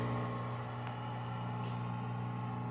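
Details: Q2000W fog machine after repair of a no-power, no-display fault by replacing its 12 V power supply, warming up: a steady low hum with an even buzz on top, no surging or dropouts. Normal running.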